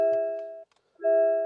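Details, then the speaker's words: MG ZS EV before comfort update: soft two-tone bong repeating about once a second in a quiet cabin, constant reminder to take the key and switch off after the driver gets out. "take a key turn off by pressing pressing disable and so yes it constantly bombs if you get out and leave your key in the car"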